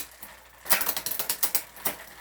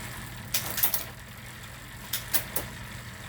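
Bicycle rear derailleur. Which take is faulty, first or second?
first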